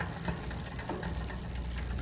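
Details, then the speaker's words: Bicycle rear derailleur in the center cog: tightening the cable with the barrel adjuster makes a light quick ticking as the chain contacts the adjacent cog; centering the cable tension removes it. "so as I tighten the cable here that noise we're hearing the noise of it contacting the left extra cog okay"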